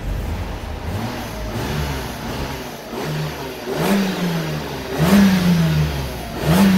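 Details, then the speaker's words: Old Mercedes-Benz at 203,000 km, probably never rebuilt, revved inside a car wash: revs climb freely and settle back with no knock or miss, little smoke, plenty of power and apparent compression; healthy engine. "just giving you a sound test so you can hear what it sounds like um it's still got plenty of power sounds to me like it's got plenty of compression"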